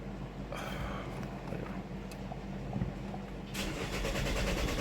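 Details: 2018 Chevy Malibu, broken vacuum pump threw off timing (P0014/P0017 cam-crank correlation): starter whirs steadily about four turns a second but engine never catches; fuel rail pressure low during cranking, no brake assist.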